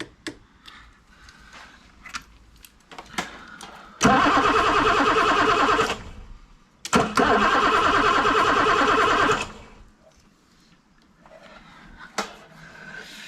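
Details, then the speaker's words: BMW E9 3.0 CSi barn find, stood over 20 years. Two bursts of steady starter cranking, engine spins evenly but never fires. No fuel coming from the injectors. "I think on this one so there's nothing coming out those injectors"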